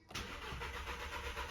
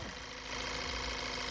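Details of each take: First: VW GTI stage 1 tune, won't start after hard driving, new APR coils fitted: starter spins evenly about four beats a second, never fires; fuel pressure very low, fuel smell, oil level high on dipstick; fuel problem suspected. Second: VW GTI with the intake manifold swapped for a spare with good injectors, after a leaking injector caused a no-start: steady, even idle with no misses. It is running well.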